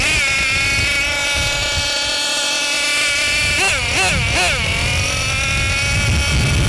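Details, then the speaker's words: Losi LST XXL2 RC truck, Dynamite .31 cu in gasoline two-stroke, pre-break-in carb tuning: high-pitched buzz holds steady, then swoops and wavers and settles lower as the low-speed (bottom) needle is turned in; idle drops. "So as you can see, when I reach in the bottom needle, the idle drop."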